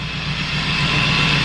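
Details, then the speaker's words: Honda Civic EK hatch with K20 turbo, idling while the cooling system is bled: a steady high-pitched whir holds over an even idle; one of the engine pulleys is very noisy, pointing to a worn idler pulley bearing. "Thing is the pulley. One of the pulleys on that engine is making a ton of noise."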